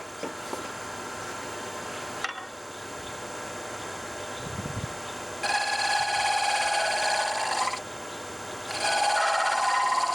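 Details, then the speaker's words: Delta 46-460 wood lathe turning a spinning top at higher speed (earlier about 750); steady hum broken by harsh buzzing bursts of tool chatter, now at higher frequency, so speeding up didn't help. "I can still hear the chatter but because I'm going faster it's at a higher frequency so yeah didn't help at all"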